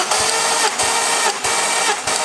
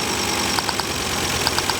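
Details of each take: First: 2nd-gen Ford Focus ST being restored: starter cranking during compression test on cylinder one, with even, regular pulses about 1.5 per second; gauge reads just under 150 psi, judged good compression (around 140 psi considered decent). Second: Mk2 Ford Focus ST five-cylinder at idle, misfiring with sharp evenly spaced ticks and uneven beat; unplugging coil packs one by one, misfire worsens with the first four, the coil pack whose removal changes nothing suspected faulty.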